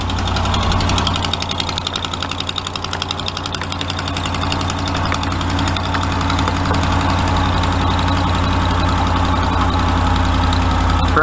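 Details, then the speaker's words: 2013 Dodge Ram 5.7 HEMI, cold idle after sitting overnight, fender liner out; fast regular ticking keeping time with the firing over steady idle; passenger exhaust manifold leak from broken manifold bolts, customer complaint ticking worse when cold. "so i'm kind of suspecting that it may have an exhaust manifold leak and so that's why i got the fender welds out and so i'm gonna see if i can get it fired up and if it will make a little racket here"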